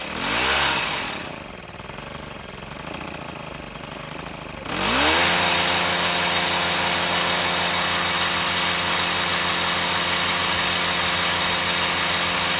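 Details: Shindaiwa HT2510-40 hedge trimmer with a C4 low-emission four-stroke, repaired for no power (clutch, cam replacement and timing, valve clearance, stripped threads): surges once, then holds a high, steady, even buzz at full revs with no misses. Running properly.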